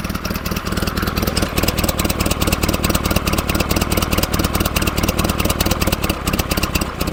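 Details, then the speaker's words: 1947 Farmall Cub tractor idling cold while warming up, flooding: chugging idle stumbling unevenly; valve beside intake manifold on right side stuck tight; rough idle from sticking valve. "You can see they're all going up and down except that one beside the intake manifold the right hand side stuck tight."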